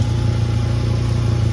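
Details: 2011 VW Golf Mk6 wagon at idle: loud, deep exhaust with a rapid puffing throb from a big hole at the top near the first muffler, not at the flex pipe; fixed with spare exhaust parts.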